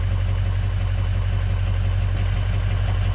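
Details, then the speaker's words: 2003 Ford Excursion 6.0L diesel after replacing both fuel filters: deep, even idle with a steady low rumble and no stumble or hunting, sounding much better than before; the fuel filter warning light is still lit. "but the car sounds a lot better than it did"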